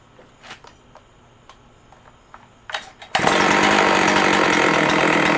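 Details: Husqvarna 272XP chainsaw with a 20-inch reconditioned bar, new chain and new sprocket, after a few handling clicks catches and holds a steady, even high snarl with no misses or surging: healthy running.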